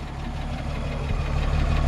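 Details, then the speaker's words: 1953 Chevrolet 210 sedan, 6-cylinder (216 or 235), 92°F day: low, soft, even idle with a gentle steady pulse, no knocks or exhaust rasp; very quiet exhaust, healthy idle. "to how quiet that exhaust is. It's just crazy."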